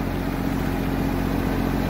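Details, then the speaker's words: Cummins Onan 12.5 kW three-cylinder diesel RV generator, six months after relay replacement and over 150 good starts. It auto-starts on an air-conditioner call after shore power is disconnected and runs as an even, steady drone with no misses, knocks or surges. Normal running. "yeah so that was the auto start that kicked in because we was here at the campground he just disconnected from the shore power so the RV had the air conditioner call so it automatically started the generator nice smart generator"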